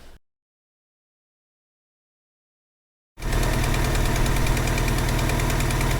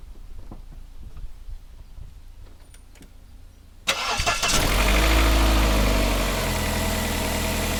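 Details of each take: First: Vauxhall Cavalier, X20XEV engine, at idle: sharp regular tick about four per second, a tappity ticking suspected to come from the exhaust manifold gasket. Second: Vauxhall Cavalier X20XEV, cold start after replacing the exhaust manifold gasket and rear silencer: cranks, fires, flares briefly, then a steady fast cold idle with no ticking; normal cold idle.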